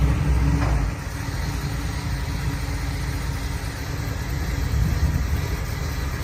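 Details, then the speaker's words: Carbureted Ford Bronco running after sitting 11 years, heard at the rear: deep, even V8 exhaust burble at idle and while moving; exhaust sounds healthy. "this thing's been sitting for 11 years and uh yeah sounds pretty dang good let's take you back to the back so you can hear the exhaust"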